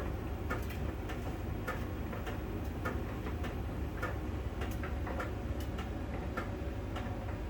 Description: it's like a round small ball that scrolls over the drum during the rotation. On the outside surface of the drum, there is a connection when the sensor touches that spot it makes that ticking.